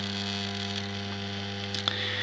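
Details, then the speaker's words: Homemade moving planet clock for US mains, single motor driving ring and planet: steady low mains buzz with strong overtones and a faint rattle when touched; the motor vibrates when touched, cause unclear. "but as I say the it's just the motor which is doing me now um every time I touch it it kind of vibrates like that"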